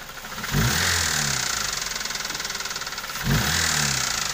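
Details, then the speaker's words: Toyota Avanza engine with a loud, rapid diesel-like metallic clatter and rough, uneven running; piston slap diagnosed, engine teardown required. "dikasinya papi kembar, ini pistonnya ngeplek. Kemudian ini juga bagian atau ini ya, pincang dia teman-teman ya, sahabat. Pincang, suaranya kasar."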